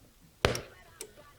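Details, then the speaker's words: Radio speaker gives a sharp, loud pop the instant the radio powers on, followed by a faint click; it happens every time, even with the volume turned fully down, and this model has done it since new. "so this radio makes quite a loud noise when i power it up so right now it's on let's just turn it off and if i power it up"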